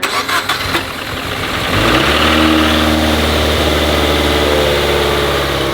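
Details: Scion FR-S (Toyota 86/Subaru BRZ) turbo with HKS single exit, first start after sitting for years: under two seconds of cranking, then a steady, even idle with no knocks or rattles; normal start.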